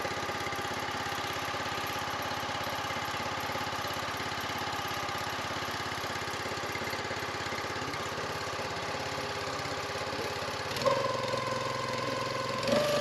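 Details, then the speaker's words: New single-cylinder gas engine on an eBay log splitter kit, first start at low idle to break in the rings, some smoke from factory oil: steady, even low idle. Normal idle. "I'm gonna crank it at a low idle. If it runs. Break the rings in a little bit before you run it wide open."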